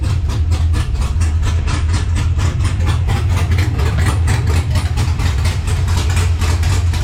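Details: LS-swapped Monte on ACES Jackpot EFI, restarted after its first start and now showing oil pressure: a loud, lumpy V8 idle with a steady choppy, loping beat a few times a second; a normal, healthy cammed idle.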